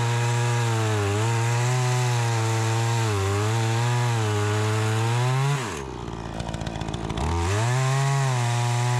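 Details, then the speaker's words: Troy-Bilt 20" two-stroke chainsaw after carburetor adjustment, cutting wood: a high, steady scream pulls down into the cut and recovers cleanly with crisp response; it cuts better than ever since new. "Sounds good. This thing runs so much better. It's like a completely different saw. It runs so good."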